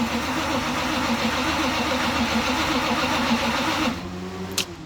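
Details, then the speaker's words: Warm restart of 3rd Gen IROC Z28 Camaro blown 383 stroker after cam and lifter replacement and break-in; starter drags engine slowly, about three and a half uneven turns a second, no catch; suspected weak battery and loose terminals, one missing its bolt. "we're having a little issues sometimes when you go to fire it back up. It's just dragging real bad. So we think the battery's kind of weak and the terminals were loose."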